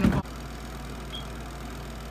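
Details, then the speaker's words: SUPER DEAL compact mini twin-tub washer, spin cycle with one towel, moved back to the floor: brief thump then steady even low hum, no knocking or scraping, spin dying down; normal spin, towel comes out only slightly damp. "Yeah, so I have it back down on the ground right now. You can hear it like die down."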